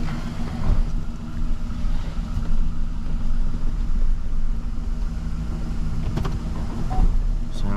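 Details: 2012 Chevy Silverado 1500 4x4 after wheel bearing replacement, slow roll in shop: smooth low rumble with no screech or grind; bearing sounds healthy.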